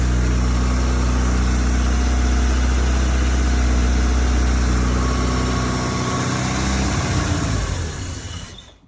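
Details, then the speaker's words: Toyota Celica GT-Four home-built engine restarted without brake cleaner, testing whether earlier trouble was bad fuel: low even idle holds several seconds, then sags and stalls; owner suspects remaining dirty fuel. "Nice. Sounding healthier every time we work on it."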